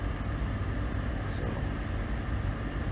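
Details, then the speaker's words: Jeep Liberty cold start at about -10°F after a dead battery was charged the day before, idling cold: uneven, stumbling low thrum with occasional skipped beats. Still misfiring. "it is still misfiring definitely gonna have to uh do something about that before i start driving it again on a regular basis"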